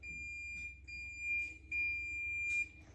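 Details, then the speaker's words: 1966 Oldsmobile Toronado barn find, horn circuit tested with a low-active (ground-triggered) horn relay. A thin, high-pitched whine in short bursts each time the horn is pressed, with no clean click. The horn relay is shot, confirmed by jumping negative to it. "terrible here but you get a high-pitched wine that means that is working that means that relay is shot"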